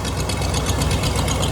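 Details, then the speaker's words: Camper engine after exhaust manifold replacement, warm after highway drive, hood open: steady even idle with smooth low beat, no ticking or puffing from the manifold; normal idle. "i just want to pop the hood and see if it doesn't cloud a smoke doesn't fly out of here now we're golden"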